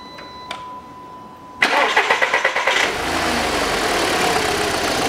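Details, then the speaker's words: 2007 VW Passat B6 2.0 with codes P1400/P3089/P1063, after the EGR valve repair: click, quick crank, clean catch, a rev blip, then a smooth, even idle with no hum at start or on revving; normal start and idle. "лучше все никакого гула нету ни при старте не при перегазовке"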